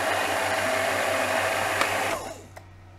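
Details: Badly neglected DeLonghi bean-to-cup coffee machine, brought in for very slow coffee flow, on the workshop bench: brew unit, just lubricated and quieter, travels its full stroke with a smooth, even motor whir and stops cleanly; normal, no grinding.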